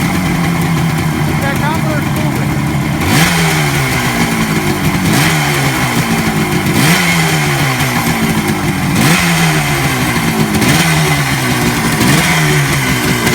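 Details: 1967 Kawasaki A1 250 two-stroke twin, running again after tune-up with donor parts, little choke: blipped about every two seconds, revs climbing and dropping cleanly to steady idle; healthy.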